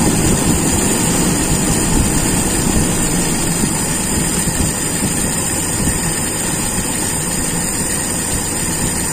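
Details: Toyota Kijang with Aisan carburettor, first start after carb disassembly and reassembly, start setting: starts straight away into a loud, even, steady idle with no stumbles or surging.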